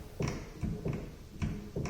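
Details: Upright piano's right damper pedal thumps and creaks with each press and release, four times in two seconds; noise is mostly at the pedal's link to the horizontal bar, to be fixed with Teflon powder.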